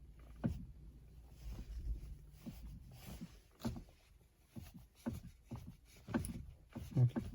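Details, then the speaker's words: Steering wheel turned with engine off: irregular dull clunks and plastic-sounding slips; a knock in the steering, uncertain whether from the steering rack. "так вот сейчас на не заведенной машине хочу показать эффект этого звука"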